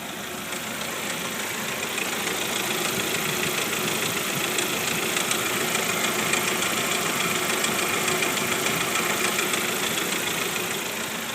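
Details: 1999 Jeep TJ engine, warm, idling: steady quick knock about three a second over the engine hiss, only when warm and not louder when driving.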